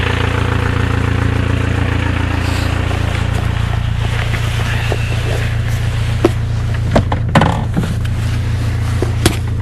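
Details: Fiat 126 cold-start attempt, unstarted since 18 October: low, steady churning a bit over two beats a second with scattered crackles, never firing; cranks but won't start, owner suspects spark plugs or ignition coil.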